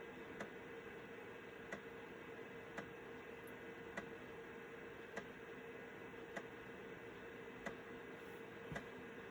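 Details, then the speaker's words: Citizen W1D floppy drive in a Compaq Armada 7770DMT after belt replacement, full-formatting a 1.44 MB diskette: soft steady hum with a crisp, evenly spaced head-step tick every couple of seconds; normal floppy drive formatting. "You never know what you have or how far technology comes until you have to wait on a 1.44 megabyte diskette."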